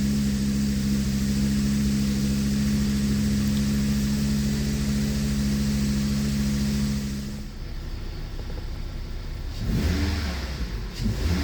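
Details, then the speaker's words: 2006 Volvo S40, first start after water pump and timing belt replacement: a steady, even hum that revs and settles with no knocks, ticks or rattles. No check engine light; running smooth. "all right guys so far so good there's no check engine light it's running smooth it's running good"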